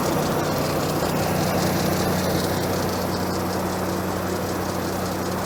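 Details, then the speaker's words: 1990 Ford F-150 4x4 plow truck, cold after heavy snow, owner suspects bad idle air control (IAC) valve: steady even low hum, no dips, stumbles or hunting, holding idle it wouldn't the day before; normal cold idle. "Look at that, now it's going to idle. It wouldn't do that yesterday."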